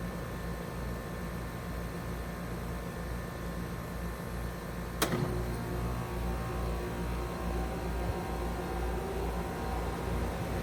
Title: My 2 trane XR14 heat pumps startup & shutdown in heat mode